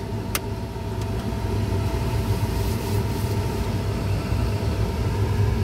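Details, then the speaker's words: 2006 Chevy Colorado with a new blower motor and resistor, engine idling, fan on high: a steady, even rush of air with no rattle, tick or squeal. The old blower was noisy from bearing play. "and she sounds good guys"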